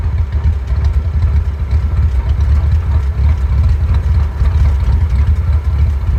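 Deep, low idle that loads and drops off unevenly, with a lumpy rise and fall in the beat; engine idling rough, cause unknown.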